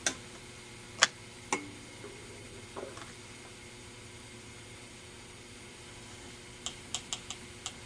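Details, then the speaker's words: Magnescriber Deluxe model 160 wire recorder by Standard Business Machines, most capacitors replaced: selecting fast-forward gives a few sharp relay clicks but no motor spins. None of the motors receive power and the idler solenoid never activates; rewind and fast-forward are dead. "okay hear that little click that's that's relay acting"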